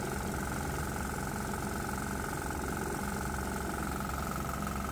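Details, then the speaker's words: 196 cc 3 hp single-cylinder diesel switched back to regular diesel with propane injection: steady beat with a faint extra tapping at about three per second; it almost sounds like knocking on one side, cause unclear. "it almost sounds like the engine is knocking over on this side"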